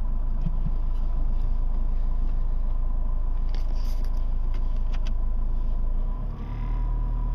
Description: Ford Focus Mk1 TDDI 1.8 Strange engine sound - it was a faulty clutch inside the A/C's compressor